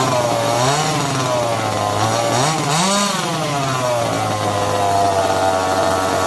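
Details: Second-hand 1/5-scale RC Baja with a small two-stroke engine: steady buzzy idle, then it rises sharply twice on the throttle and drops back cleanly, normal running and revving.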